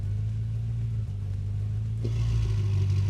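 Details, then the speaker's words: BMW F10 M5 twin-turbo V8 with a new valved exhaust, after fitting a piggyback plug to the exhaust valve solenoid to clear RPM/vacuum faults: deep, steady rumble that swells smoothly with revs. It runs normally and the valves are now remote-controlled. "And now it works perfectly and we can control it with the remote."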